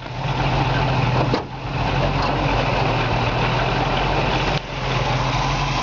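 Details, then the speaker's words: Restored 1969 Pontiac Firebird convertible V8, rebuilt with about 1,500 miles, mild cam, new exhaust and Edelbrock air cleaner and valve covers: a smooth, steady idle with an even low burble and no knocks, ticks or misses; the engine purrs, normal idle. "You can hear the engine just purrs like a kitten. It's just perfect."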